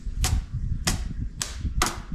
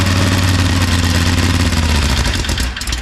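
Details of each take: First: Small radial engine cranking: sharp snapping cracks about every half second over a low cranking rumble, with sparks visible and audible; ignition firing properly. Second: Small radial engine, first run after sitting, fuel fed by hand as carburetor wasn't supplying: harsh uneven popping about 210 beats a minute for three seconds then dies, blowing out nest debris and grain; rough running from debris in the engine.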